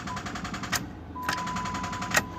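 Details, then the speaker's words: 1999 Caravan, 154,000 miles, charged on a tender since the day before: rapid even clicking, about twenty a second, on each key turn with no cranking; battery dead and not holding charge, needs a jump. "okay you know what that means no it's already popped nope it's junk it didn't charge at all all right we'll have to jump it"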